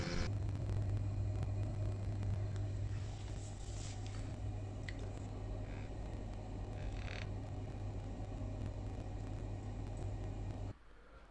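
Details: Glow-worm boiler after repair, gas valve seals checked and analyzer reading stable: steady even low hum, no knocks or flutter, then clean cut-off; running smoothly, fixed.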